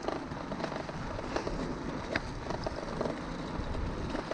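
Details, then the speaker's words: Bicycle ridden on road: irregular light clicks and rattles over road rumble from a loose headset needing adjustment; rear brake blocks also worn out. "But yeah, look at that, headset needs adjusting again as well. Can you hear it rattling?"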